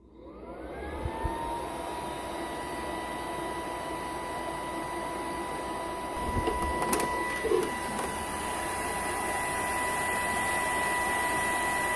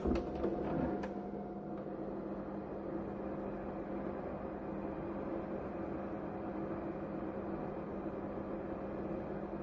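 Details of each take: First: Capcom CPS2 arcade system board from the 1990s, heavily used, running out of its cabinet: the worn cooling fan spins up within a second into a loud, constant whine with a rushing hiss; an unbearably loud old fan, later swapped for a new 60mm 12V fan. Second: Capcom CPS2 arcade board from the 1990s after replacing its loud original fan with a new 12V 60×60×10 mm brushless fan: low, steady hum with a faint even tone and no rattle or buzz; much quieter than before.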